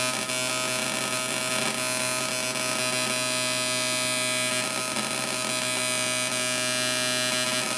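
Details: 555 timer Atari Punk Console on 9 V supply into PC speakers: steady electrical buzz with constant hum and many fixed high tones as pulses pull apart; builder suspects missing biasing resistor and picked-up interference.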